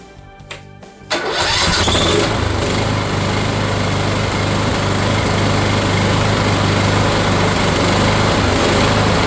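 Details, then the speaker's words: Cub Cadet mower with Kohler engine, sat for years with a mouse nest, after carburetor cleaning, fresh fuel and temporary patches: cranks briefly, catches and settles into a steady even putter; normal running. "some fresh fuel she actually fires right up with the temporary patches I made so you'll get to see proof of life here"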